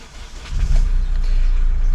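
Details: 2006 Kia Rio 1.5 turbo diesel after alternator replacement: short starter whirr, engine catches and settles into a steady, even low rumble; starts and runs normally, battery light goes out, voltage normal.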